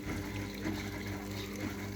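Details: Top-loading washing machine with poor cleaning and noisy spin-dry complaint, being test-run after cleaning; steady soft rush and gurgle of water flowing in slowly with a faint hum; tub filling.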